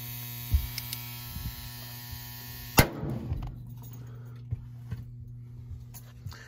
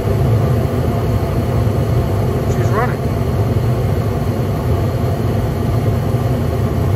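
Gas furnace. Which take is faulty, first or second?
first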